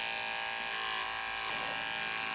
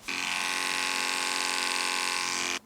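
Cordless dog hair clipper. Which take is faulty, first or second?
second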